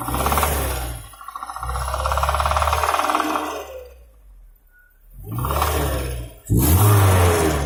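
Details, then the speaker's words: UAZ Patriot engine at idle: steady deep knock about four per second from one spot, rising with revs, sounds like a hydraulic lifter but isn't; connecting rod bearing knock. "Ну, вот сейчас четко слышно на холостых, как один стучит. Похож на гидрокомпенсатор, но это не он точно."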